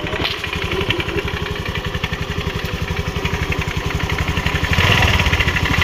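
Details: Honda Grazia 125 BS4 scooter: a rapid, rough pulsing rattle rides over the idle and grows slightly as revs rise. With the clutch cover off, the clutch bell was found grooved and worn and the clutch pulley damaged.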